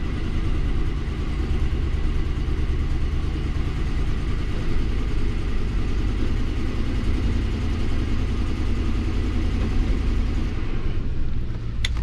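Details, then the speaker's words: 2005 Lincoln MKT at idle with a misfire code for cylinder 5: a steady idle with a lumpy, uneven exhaust beat and one cylinder dropping out; the power balance test shows cylinder 5 not contributing at all. "you can see number five [Music] number five is a cylinder that is not contributing at all"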